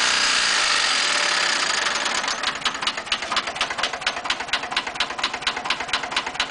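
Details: VW 1200 40hp engine: sharp regular ticking knock about two per second over an otherwise fine idle; suspected rod knock in the bottom end, cause not confirmed.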